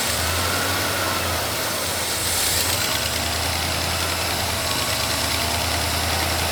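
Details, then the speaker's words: Carbureted GMC truck on its first run after about 40 years, needing more timing and smoking slightly blue from oil on the manifold: a steady airy hiss over a low, uneven idle. A big vacuum leak is suspected, possibly at the intake. "Yeah, I don't know what that is, but it is a hectic vacuum leak, wherever it's coming from."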